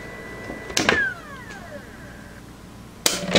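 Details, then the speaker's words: Polaroid USB Blu-ray optical drive: a thin steady high whine while the disc spins, then a click and falling pitch as it spins down; the noise is a deal breaker and the drive is being returned. "Just listen to that whine one last time before it goes back to Newegg."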